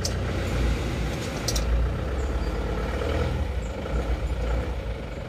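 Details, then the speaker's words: Isuzu Panther diesel after engine rebuild with new Isuzu liner and piston rings, fixing blow-by and oil-filler smoke: even low idle with a steady rumble and no knocking or ticking; smooth, healthy. "untuk suara halus Ya sudah oke mantap dan hasilnya pun juga sudah oke ini Mobil ini ini sudah dicoba kemarin halus ya suaranya"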